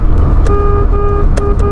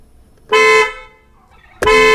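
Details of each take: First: Pointer horn: thin, reedy, nasal toots over engine idle, too weak for others to hear; horn unit needs replacing. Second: Car horn after repair, wired through an added relay to turn a negative-pulse horn signal into positive pulses: loud, clear short and long blasts at a steady strong pitch; healthy horn, owner thinks it could be slightly sharper.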